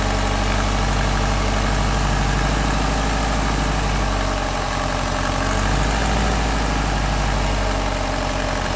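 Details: Subaru STI with GT35R turbo at about 2400 miles, idling: light, uneven clicking over the low rumble, heard on spool-up and revs, owner certain it comes from the compressor housing; cause unknown.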